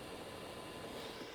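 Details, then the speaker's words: HamGeek 6699 CB/ham radio sitting switched on: steady airy whoosh with a faint constant hum from its small internal cooling fan, which is loud. "The fan is loud. Listen to that."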